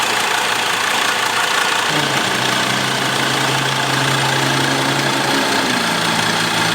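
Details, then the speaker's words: Hot Mercedes Sprinter diesel (former news van) idling with a faint irregular tick and chuff over the clatter; leaking injector seals, with the worst leakage at injector number two and residue also on one and three. "oh yeah i hear it now rolling that's good yeah that's good that's good just the injectors i'm smelling them"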